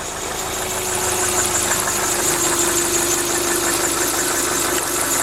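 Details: 2000 Subaru Outback Limited at idle: steady fast deep knock about three per second; began only when cold about 12,000 km ago, now constant, unchanged over 5,000 km driven; owner unsure if rod knock or piston slap.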